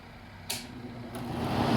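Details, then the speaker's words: Cheap Chinese-made Samsung window air conditioner after a new capacitor was fitted. The fan motor kicks on and builds to a strong, steady rush of air over a low hum, blowing properly. The compressor then starts on cool. "oh yeah we got a lot more fan now blowing like it should got our fan motors running"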